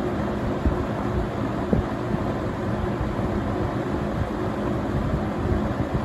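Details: Vintage Windsor (Lakewood P-21) box fan from 1970 or 1971, running on low speed: even low hum under a soft, hollow, bassy rush of air, with no ticking or grinding; running normally.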